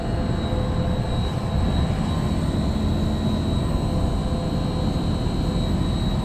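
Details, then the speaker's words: LG Multi V IV VRF outdoor unit after compressor and inverter board replacement for error CH29/CH21, during charging: steady, even low hum with a constant faint high tone, no knocks or surges; compressor starts and runs normally, pressure rising. "Okay, I can hear the compressor started. Pressure's going up. This one's coming down."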